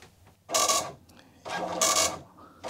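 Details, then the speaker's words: Commodore MPS 1500C colour dot matrix printer, first print test from an Amiga, colour ribbon cassette not fitted so little visible text: bursts of rapid buzzing print-head chatter with pauses between lines; mechanism printing normally. "it printed but not a lot of visible text so i guess this color cassette it's not in i forgot to put it in idiot sorry about that no wonder it didn't print"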